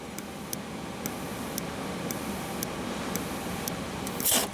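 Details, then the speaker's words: 2001 VW Jetta 1.8T with evap codes P0442 and P0455, engine off; purge valve output test while blowing into it gives crisp, regular clicks about twice a second, showing the valve is not stuck. "so i'm going to blow in here and you might be able to hear that it is clicking can you hear that especially with me blowing in"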